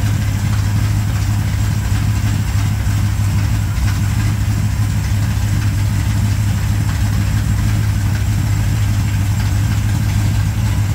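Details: 1987 Chevrolet K10 4x4 truck, first run after blown head gasket replacement, warming up: deep, even V8 idle holding a steady low pulse with no knocks, misses or hiss; normal healthy idle.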